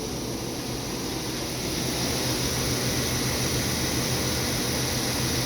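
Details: 2012 Chevy Suburban AC after recharge; the system was empty of Freon, vacuumed and refilled. About 30 low side, 200 high side, 85°F outside at 60% humidity: even hum with steady airflow hiss, no knock or squeal; normal compressor operation.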